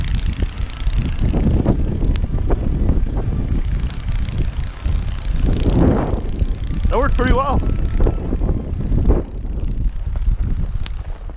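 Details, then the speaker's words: Older free 32-inch snowblower clearing a snowy driveway: a steady, busy drone with wind buffeting, no misses or surging. It runs healthy under load. "that was a good little test cleared the driveway well"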